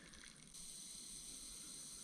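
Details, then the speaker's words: Land Rover Freelander 2.0 diesel cooling system pressure test: steady airy hiss as the expansion tank cap fails to hold pressure, leaking at only 0.5 bar instead of the required 1.2 bar; cap needs replacing. "First, let's check the cap. The cap is no longer working. You can see it, you can hear it hissing."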